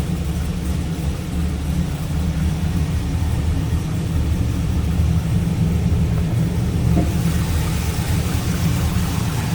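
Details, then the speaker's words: 2002 Chevrolet Camaro SS, 5.7 L LS1 V8, 26,382 miles, cam, cold air intake, headers, no cats, true dual exhaust, no check engine light: deep, steady V8 idle with an even lope, no knocks or ticks; healthy. "like the way this one sounds. Let's listen. Cold air intake, cam, headers, no cats."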